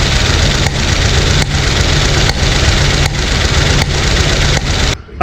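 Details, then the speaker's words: 1971 Corvette first started after sitting 38 years: rough idle with a sharp pop about every three-quarters second coughing back through the carburetor, seemingly one cylinder; suspected stuck lifter or oversized fuel pump running lean, unconfirmed. "we do have it running but we do have a uh like a backfire or misfire or pressure coming back through the carburetor"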